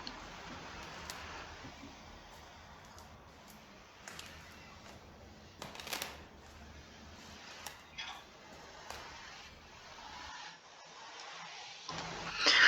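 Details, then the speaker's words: Cement screed poured over a thin 5-10 cm slab in a 504-series apartment building, recorded by phone microphone: faint dry crunches and creaks as weight shifts; screed creaks throughout the apartment, blamed on construction technology not being followed; suspected cracked screed. "вот, стяжка, в общем, сильно скрипит. Со слов заказчицы, скрипит по всей квартире."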